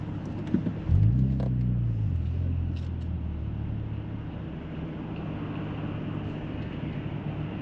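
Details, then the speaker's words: Audi S4 with custom exhaust after X-pipe resonator delete, motorway cruise around 70–75 mph: steady deep boom under road rumble, rasp gone; exhaust drone resonating into the cabin. "it's just booming it's just deep [Music] sounding go sounds mint but it's just it's very Bo boomy inside here"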